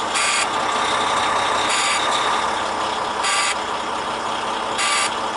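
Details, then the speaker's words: Leroy, a heavy-duty truck with an intermittent no-throttle and grinding-shift fault, on its day-two start test: a steady high alarm tone over the running diesel with sharp chirps. It is the low air pressure warning as pressure builds past about 60 psi. The alarm stops but "Transmission Low Air Supply" still shows. "so the alarm should stop it does but it still says low air supply"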